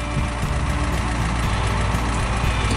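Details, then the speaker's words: 1966 GMC military troop-transport bus, running after rescue; deep, steady, even idle with smooth regular beat, no knocks or misses; nice running engine, though clutch linkage needs adjustment. "shut it down yes there's no fight Jane nice running engine though"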